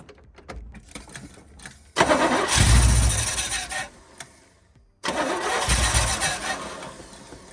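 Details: 1972 Chevy K10 4x4 with a 350 V8, sitting 20+ years: starter cranks, it catches and runs roughly a couple of seconds then dies; good oil pressure; owner suspects fuel delivery, possibly flooded.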